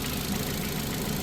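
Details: Ford Fiesta Zetec idling after service, timing belt and water pump change, all back together and warming up to temperature while bleeding the cooling system; warm air from heater. Smooth, even idle, steady low rumble, no knocks or misses: normal idle.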